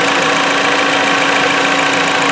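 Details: 2016 Jeep Patriot 2.0L inline-4 that had misfires, now after a Piston Clean carbon treatment and warm-up, with rough running gone: even, steady idle hum with a constant tone and no miss or stumble. It sounds healthy.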